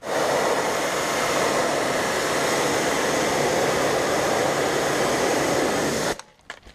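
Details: New Kärcher HD 8/18 pressure washer (800 L/h) on a farm: even, steady rushing hiss from pump and jet, no surging or knocking, then clean shutoff; running healthy.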